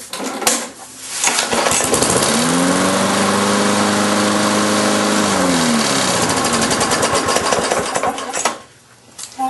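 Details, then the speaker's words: Briggs & Stratton engine on a Lawn-Boy mower after reconnecting the kill wire that had come off the coil: starts, runs evenly, then cuts out cleanly at shutoff; kill switch now works. "somehow the wire became disconnected from the coil the kill wire but uh works just fine"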